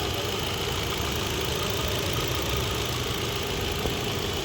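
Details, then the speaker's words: Hyundai i20 petrol with P0300 random misfire and cylinder 3 misfire code, jerking and check light: during diagnosis it idles steady and even, no stumbles or knocks, all four spark plugs getting current and sparking well. "Silent दिख रहा है गाड़ी। पूरे चारों plug को भी current आ रहा है।"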